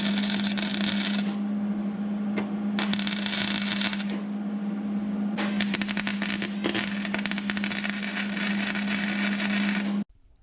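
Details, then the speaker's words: MIG welding rocker panel rust repair on 2002 Mercury Sable wagon; arc snaps, pops and cracks irregularly over steady hum instead of smooth frying sizzle, welder struggling, weld buildup; erratic welding arc. "you can listen to the welder while i was doing it you could tell i was struggling because it was just sort of snapping and cracking it wasn't making a nice sizzling sound like i've always been told when you're welding good"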